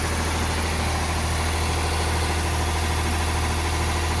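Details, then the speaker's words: Ford 4600 (1000 series) diesel tractor, first run after fitting a service-exchange injection pump and starting on ether: steady but too-fast idle of about 1300 rpm (should be about 800) that won't go lower; throttle linkage is holding it open. "Now, it looks like I'm going to have to make some adjustment on it because that is as low as the revs will go. About 1300 it's revving at."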